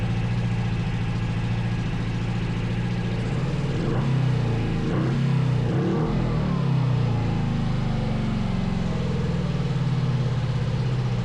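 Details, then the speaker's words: 500cc twin-carb buggy, revs raised during carb balancing with SyncPro: lumpy low twin burble with throttle blips and a bit of backfire, settling to a steady run; both cylinders now firing, sounds better. "Oh, that's so weird. Now it's running better. I hear a bit of backfire. There they go, dude. Yeah, now it sounds better."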